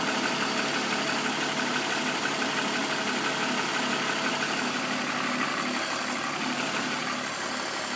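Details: BMW M54B25 petrol six, fully warm, at idle: light, fairly steady tapping about three per second over a smooth hum, front right in the direction of travel. Appears only after warm-up; VANOS ruled out, INPA/DIS checks normal; owner suspects timing chain.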